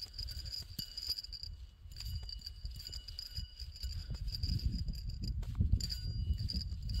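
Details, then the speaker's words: Used belt pulley spun by hand off the engine: thin, steady high-pitched whine over handling clicks; worn pulley bearing, judged junk. "This one's actually the one making the noise. Like, I mean, that one's crunchy, but listen to this one here if I can. Hear that high-pitched whine?"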